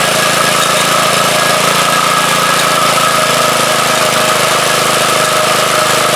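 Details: Briggs & Stratton rototiller engine started up during swap from an old 3 hp tiller motor to a 4 hp lawnmower engine: small single-cylinder runs steady with even, fast buzzy beat, no knocks or misses.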